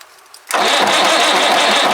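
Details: White Super Power truck with Perkins 6/354 diesel, not run for many years: starter spins it over at steady, even churn about a second and a half but never catches; fuel bleeding suspected needed, not confirmed; cranks but will not start.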